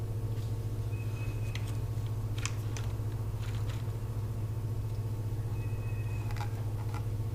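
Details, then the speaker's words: 1990 Mercedes-Benz 300E sedan, sat unused for years, fresh battery fitted: steady even cranking about four turns a second that never fires; spark confirmed good, so a fuel problem is suspected, possibly the fuel pump. "Looks like we've got good spark, so it probably is a fuel issue. Probably is the fuel pump, just like he said it was."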